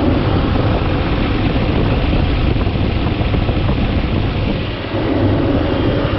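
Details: 2011 Toyota Tacoma 4.0L V6 idling after serpentine belt replacement: steady, even idle rumble with no squeal, chirp or slap from the belt, though the tensioner bearing was noted as somewhat noisy beforehand. Normal idle.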